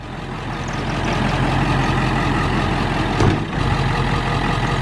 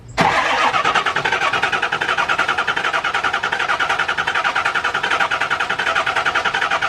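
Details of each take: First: Diesel truck after injector replacement, earlier surging and white smoke: steady, even diesel clatter at idle with no surging or hunting; owner thinks air was aerating the fuel system, now running smoothly without white smoke. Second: Diesel truck after an injector rebuild, purging the fuel system in on/off cranking intervals: steady even starter cranking with rhythmic compression pulses for about eight seconds, but the engine never catches.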